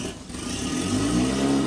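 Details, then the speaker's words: Brand-new outboard on a 2020 Triton 216 Fishunter, near idle during warm-up, throttle blipped once: one brief chug, then a smooth climb; a chug means still cold, so let it warm longer. "And it took that pretty good. It just had one chug. If it's still cold, it'll kind of chug."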